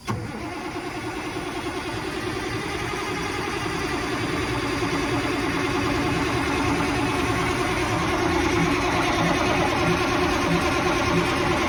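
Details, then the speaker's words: 1987 Ford LN9000 diesel after sitting about 20 years: a steady cranking churn at about three beats a second that builds slowly without firing. It rolled over but would not pull fuel until ether was used. "but it rolled right over um did not want to pull fuel on its own but after the third shot of ether she ran on her own and pulled fuel"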